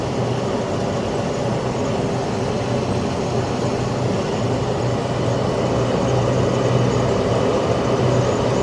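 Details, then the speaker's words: Carrier Infinity 96 (58MVB-080) condensing gas furnace in high-stage heat: loud steady whoosh with a constant low hum as the inducer spins much faster, no rattles or surging; a bit louder on high heat, normal high-stage operation. "as you can probably hear it's a little bit latter on high heat but that's okay it's quiet most of the time"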